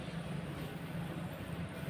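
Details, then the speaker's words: Customer desktop PC that hangs suddenly, powered on with only keyboard and mouse connected: low, steady whoosh of fans spinning up evenly with no scraping or rattle; the fans run normally at power-on. "Kipas masih muter. Nggak ada bunyi sama sekali ya teman-teman, jadi ada kemungkinan nyala, masih ada tanda-tandanya ya."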